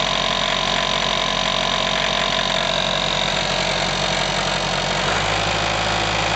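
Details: IHC 554 tractor diesel at idle, about 30 hours after engine overhaul: even fast knocking clatter under the engine note from the crankshaft area; balancer gear missing several teeth, not the pump.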